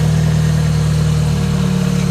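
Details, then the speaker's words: Jetta idling after the battery light came on following a hard pull: smooth even low hum, no squeal, slap or chirp from the belt area; seems to run fine. "but i actually got into one where it's like a a teardrop looking shape but it seems like it's running fine"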